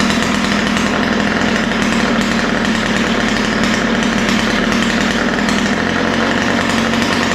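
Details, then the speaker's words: Ryobi two-stroke string trimmer after opening both lean mixture screws, low-speed needle set slightly rich: crisp, steady buzz holding an even speed with no stumbling or surging; runs cleanly after carburetor adjustment. "yeah so that's what I like to see it sounds pretty good right now"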